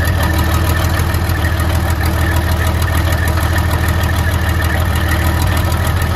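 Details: 1972 Freightliner cabover diesel first run after 27 years: loud lumpy idle, uneven chuffing about three pulses a second; some cylinders not yet firing, owners say it is clearing out; oil pressure about 80 psi.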